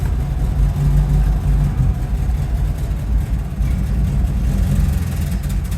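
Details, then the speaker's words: Rolls-Royce Silver Shadow, carbureted: deep uneven rumble that surges and stumbles, worse than a minute earlier in the garage; owner suspects a switch kicked in when warmer, messing up fuel mixture, unconfirmed. "that's that's worse than it was a minute ago when I was when I was uh driving it inside the garage"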